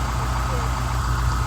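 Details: Vintage GM Scenicruiser bus diesel after a bandaid repair bypassing a bad cylinder, fired up and airing up before a 500-mile trip home: deep idle with a lumpy, slightly uneven low throb from the disabled cylinder.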